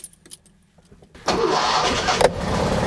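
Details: Classic Fiat with choke and separate starter switch: after cranking with ignition off, ignition is switched on and, after a few faint clicks, the engine catches at once and settles into a steady, even idle; a clean, normal start.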